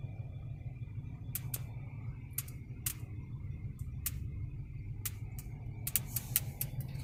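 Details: Brand-new 2019 Honda Odyssey Elite minivan: sharp irregular pops and ticks inside the cabin over steady road rumble; owner reports weird electrical problems, dealer twice found no cause.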